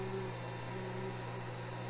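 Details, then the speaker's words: Discarded projector found at a German scrapyard: a steady low electrical hum with a faint whirring fan. The cooling works oddly and the cause is unclear, though it lights up and otherwise seems to work. "учетом дом гудит так непонятно слышите да охлаждение у него как-то непонятно работает"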